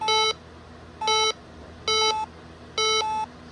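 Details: Bosch B9512G security panel after full arming: two-tone keypad chirps, low then high, about once a second, the exit-delay countdown, set to 60 seconds.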